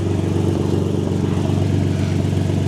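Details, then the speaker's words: Nissan 350Z after fixing Y-pipe exhaust leak with extra-thick gasket: smooth, even note rising and falling with revs, no puffing or ticking from exhaust; sealed, no leaks even at high rpm. "We'll give you guys a good rev for it. Yeah, mission success. So, we get to rev. We're testing for science to make sure that we're still not leaking through high RPMs, [Music] obviously."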